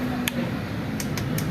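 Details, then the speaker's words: Dafra Riva 150 scooter pressing the start button: sharp single clicks, no cranking; 99% worn starter motor brushes, though loose battery terminal bolts can also cause it. "se fizer esse barulhinho aí aperta aí cai ó 99% é escova de arranque certo mas dá uma possibilidade também certo os povos da bateria os parafusos tá solto ele também faz isso"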